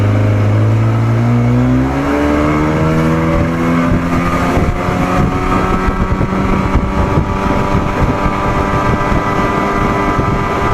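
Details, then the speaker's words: 1987 Johnson 40hp outboard, test run after setting WOT timing by the Joe Reeves method: steady drone rising in pitch to speed, then holding even over water and wind. Runs well, feels slightly slower, idle a little rough. "it doesn't feel quite as fast as it was but it still feels good man still feels good sounds good runs good"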